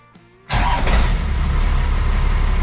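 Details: 12-valve Cummins diesel swapped into a 1962 Chevy C20 pickup, cold: quick crank, catches at once and settles into deep, even clatter with no misses; oil pressure light goes out, charging 13.7 V; healthy start.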